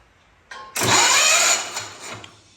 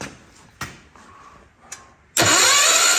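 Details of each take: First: Hot Rod Ford LGT tractor engine, battery newly hooked up, first attempt to turn it over: short starter cranking, engine spins freely but never catches; no-start traced to broken ignition coil wire contacts. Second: Hot Rod Ford LGT 125 garden tractor, spark plug back in, cranking on starter: about three seconds of smooth even whir, steady pitch, no knocks or binding; engine not locked up, bearings sound good.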